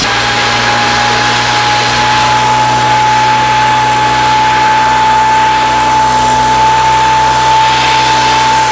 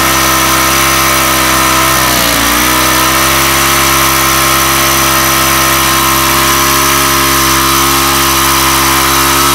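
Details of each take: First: Weathered 29cc four-stroke Craftsman Speed Start curved-shaft trimmer with convertible leaf blower attachment, cold start with makeshift air filter cover: steady, even high-pitched buzz with constant pitch, no misses or rattles; idles smoothly. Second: Weathered 29cc four-stroke Craftsman Speed Start curved-shaft trimmer, run after checking the oil level, suspected oil leak: screams at a constant high pitch where it should idle, dipping briefly once then holding; idle speed set far too high.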